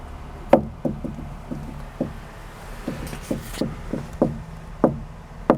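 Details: Volvo S60R: hollow clunks from the strut tower, one or two a second, as the steering wheel is turned; noise seems to come from the top of the spring, owner suspects the spring seat bearing, unconfirmed.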